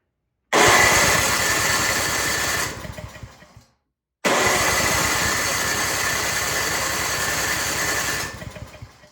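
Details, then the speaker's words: Craftsman snow blower that sat unused, old varnished fuel, full choke, primed repeatedly with no fuel heard; two bursts of electric-starter cranking, never catching. Fuel starvation from a gummed-up carburetor, later replaced with a new one. "Yeah, I really don't hear any gas. And yeah, I'm priming it 5 million times because I'm just seeing if gas will come out. Yeah, nothing."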